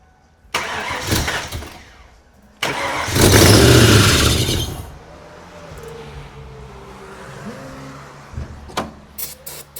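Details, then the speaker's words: Abandoned 5.0 Mustang pulled from the weeds: two heavy, labored cranking bursts that drag and never catch; accessory drive pulleys are seized and not turning. "Well, something in the pulley system locked up. Oh boy. It's already breaking down."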